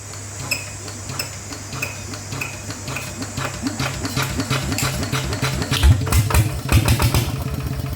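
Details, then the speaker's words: Yanmar 150 single-cylinder diesel upgraded to a 100 mm piston with a No.1+ valve-relief cam and new valves, idling after the rebuild: steady soft thump, even valve train, a few metallic clanks near the end; the cam is quieter than usual, normal. "ช่างตัวนี้ตัวตัวนี้ไม่ค่อยดังเท่าไหร่นะแคมอ่ะงมันจะเงียบคไอปกติมันจะต้องแกกๆๆแรงนะเเอันนี้เบาหน่อยนะครับ"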